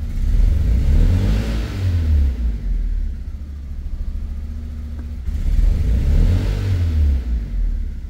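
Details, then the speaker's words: 2002 Fiat Punto 1.2 petrol, engine light still flashing after lambda sensor checks: uneven stumbling revs with lumpy low beat; engine still misfiring. "toujours l'oreille moteur qui clignote. Et le véhicule a l'air de présenter les mêmes symptômes."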